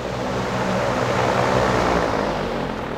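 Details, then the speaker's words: Dayton 2MA11 24-inch ball-bearing fan (Grainger) on low speed, front shroud removed, measured around 73 dB before the capacitor swap. Loud, airy roar with a pulsing hum of about four beats per second; excessive fan noise. "so again this is going to be low it's pretty loud"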